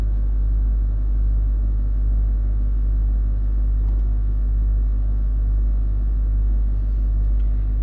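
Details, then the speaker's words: Range Rover L322 3.6 TDV8 Hitachi air suspension compressor still priming a completely deflated system, front raised; constant deep hum with slow steady pulse, no knock or squeal; owner still suspects possible split air strut bag. "and it's still going mind you the system was completely deflated so it has got a prime quite a lot"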